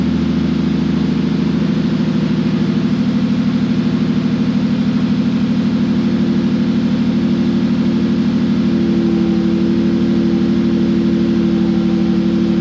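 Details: Ford Mondeo ST220 V6 running after a fuel pump upgrade and new fuel filter, tank only loosely bolted up: even, steady running with a smooth, regular beat and no misses or knocks; the engine sounds healthy.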